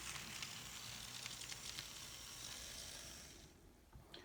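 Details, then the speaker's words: N scale Atlas SD35 locomotive after TLC, on track from an old power pack: faint high whirring hiss of tiny motor and gears with slight buzz, fading as it moves away; a little noisy but acceptable. "So it runs pretty good. Still a little noisy, but that's acceptable."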